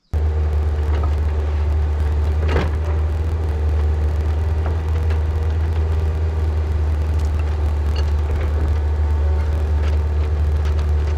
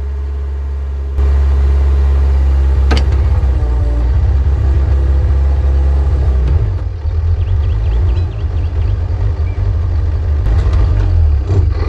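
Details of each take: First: Newly bought excavator digging a hole for a 500-gallon underground propane tank, before it later lost speed and power: steady, deep diesel drone holding even under digging load, no knocks or misses; engine healthy. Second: Recently bought used excavator, digging for a 500-gallon underground propane tank: heavy, deep idle runs steadily, then turns ragged and uneven before dropping away; intermittent miss on a cylinder or two, cause unknown.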